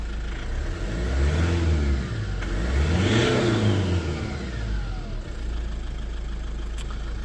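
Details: Lexus IS220d diesel after the EGR valve was cleaned and refitted, following limp mode from an EGR fault: idles evenly, revs up smoothly and settles back without hesitation. EGR working; normal revving after repair.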